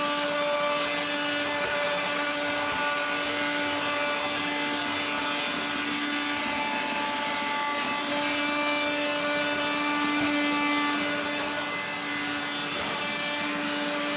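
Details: 1970s blue Regina Electrikbroom 3-speed vacuum, just arrived, vacuuming a floor. The motor and especially the fan are dry after someone washed it. A steady motor hum has a harsh, raspy grinding throughout from dry motor bearings.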